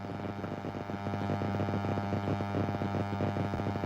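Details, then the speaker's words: Steady low electrical buzz under a live recording from an embroidery workspace; owner suspects it comes from being close to the wireless mic receiver, cause not confirmed. "buzzing it's weird I don't hear any buzzing let's see hold on"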